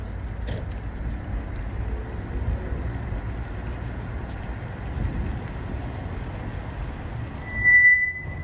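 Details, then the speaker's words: 2008 Lexus GS350 moving slowly and braking before parking: low road rumble, then a sharp high-pitched brake squeal near the end; brake squeal to be fixed. "That's what we be dealing with right there, that squeaking."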